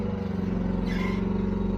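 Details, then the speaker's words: Chinese mini excavator digging a pond: diesel chugging steadily underneath with a short high squeal rising briefly as the boom lifts; squeak suspected from a dry boom pivot, owner says it needs grease. "There you go, you heard that squeak right there."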